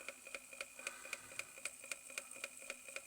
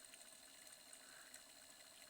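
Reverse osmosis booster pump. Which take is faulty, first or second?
first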